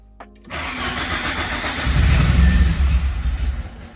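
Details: Peugeot 205 GTI 1.6 start during restoration after earths cleaned and fuse board tidied, with the lights looking a little weak; starter churns a couple of seconds, nearly fires with uneven pulses but doesn't catch. Cause not confirmed.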